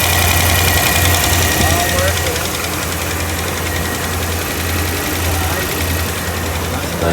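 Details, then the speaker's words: 2010 Dodge Ram 5.7 Hemi (MDS) after new cam install, engine bay: steady even V8 idle, no tapping or misfire after reseating a push rod that wasn't seated properly, which also cured rough idle and fuel in oil; normal idle. "okay good and now it's fixed so it was basically just a push rod not seated properly"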